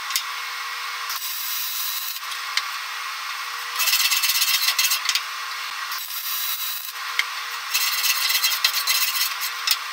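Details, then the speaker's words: YesWelder MIG250 Pro MIG welding aluminum in manual mode above 21 volts: a smooth, even hiss with a faint steady hum in runs of a few seconds per bead, a stable, well-set spray arc. "that's that's the sweet spot guys so you get yourself up above 21 volts in manual mode then just start playing with the speed"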